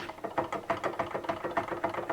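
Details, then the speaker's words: 1980 Yamaha RD350LC that failed while riding, engine turned over slowly with side cover off: heavy irregular metallic clunk each turn, pointing to a failed bottom end; cylinder likely to be pulled. "that's definitely bottom end, that clunky noise."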